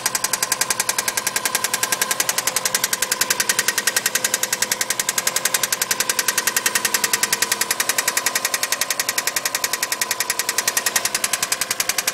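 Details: Subaru EJ20 engine at idle: sharp, evenly spaced metallic knocks about three and a half a second throughout; engine knock.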